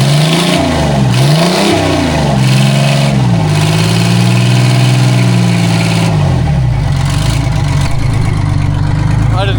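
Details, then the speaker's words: Detroit Diesel 6-71 two-stroke in a vintage cabover semi, first start after sitting: engine catches and revs up and down with a smooth rise and fall in pitch, then holds a clean, even idle; one of the nicest-running 671s. "It's pretty freaking cool it runs. Again, I mean [snorts] I knew it ran but honestly this is one of the nicest running 671's I've had."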